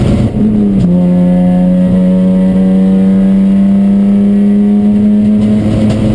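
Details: Chumpcar race car on track at Watkins Glen, where the misfire began midday Saturday. A steady high drone at constant speed with slight unevenness in the note: intermittent misfire under load, cause unknown.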